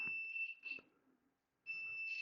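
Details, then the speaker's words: 1999 Volvo Penta 5.0 GI MEFI 3 marine ECM on bench simulator: high, steady electronic beep in two bursts with quiet between; injector driver likely shorted to power, reaching 8.2 volts, inside the computer. "it's kind of like trying to activate it might be shorter to power because it goes up to 8.2 volts so Yep this is definitely the problem inside the computer"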